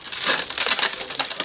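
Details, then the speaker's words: Mongoose XR Pro budget full-suspension bike, new out of the box, MicroShift front derailleur shifted down on the chainrings: crisp, distinct indexed click per lever push, no grinding; front shifter indexing normally. "okay this looks like it's set okay that's a shift that's that's a shift it's a click it's like that's a click that's a click"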